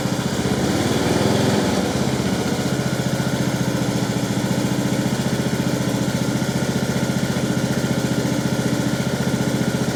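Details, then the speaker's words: Husqvarna LT1538/LT1597 lawn tractor, replacement engine idling just after a quick-start-fluid start, with a muffler rebuilt to the owner's own design: soft, steady single-cylinder putter at an even beat, muted exhaust with no rasp or popping; quiet, healthy running. "i can't believe how quiet it is actually um i mean that's that's the exhaust that we we rebuilt with our own design in it"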